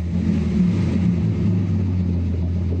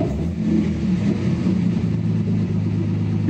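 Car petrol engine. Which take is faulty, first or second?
second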